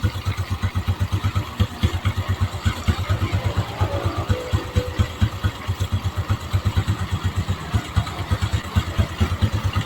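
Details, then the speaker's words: Honda Revo engine, recently rebored at another workshop, with oil pump not delivering oil to the cylinder head; idling, dry rough ticking about twice per second from the top end, traced to the camshaft or camshaft bearing. "Tapi motor ini ada kendala bunyi de cheitan di bagian blok head-nya."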